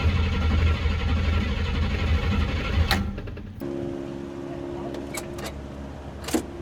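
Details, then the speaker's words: Buick ("Bluick") cold first start of 2024 after sitting since about September 2023, battery charged; steady cranking rhythm with no catch or firing, owner says it's still not getting gas. "we're getting oil pieces f [Music] [Music] but still no gas I might have to pour a little in there"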